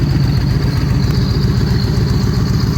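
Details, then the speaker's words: 2013 Victory Cross Country supercharged V-twin after the plug, coil and front plug wire fixes: steady even low thumping idle on both cylinders with a constant faint supercharger whine, a normal healthy idle. "but he definitely has a different sound tour with that supercharger you can hear all that supercharger noise blowing on there"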